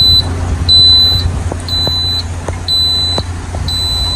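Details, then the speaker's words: Lay-Z-Spa hot tub at power-on: repeating high-pitched beeps, roughly half-second tones about once a second, with the E02 error shown; caused by a dirty, clogged filter in the bottom of the tub, fixed by unscrewing the cover and replacing the filter. "So we've got ours turned off, but normally when you turn it on you'd have an E02 message and it'll be beeping."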